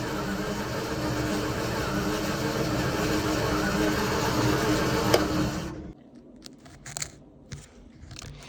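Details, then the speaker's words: Centurion ARV after ignition retiming, lift pumps primed: steady labouring crank for about six seconds with one odd kick, never catches; low coolant suspected of tripping the coolant switch that stops the magnetos; cranks but won't start. "So that thing over there is the coolant switch, and the coolant's below it, so that'll be telling the magnetos not to start."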